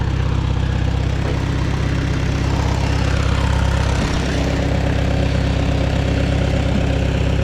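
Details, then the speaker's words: Farmall Super A antique tractor idling down, timing untouched, number 4 plug checked but another plug found loose: low, even chugging idle at a steady beat, no misses or knocks; still running good, normal idle. "Looks like that one spark plug there is loose too. Yeah. So we need to tighten that one up too. I only checked number 4 there, but she's still running good."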